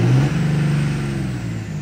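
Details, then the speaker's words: 2003–2007 Cummins third-gen common-rail diesel, low rail pressure, free-revved in neutral with no load; winds down smoothly with the former rail hang gone. "notice how the rail hang is gone now too now this is no load"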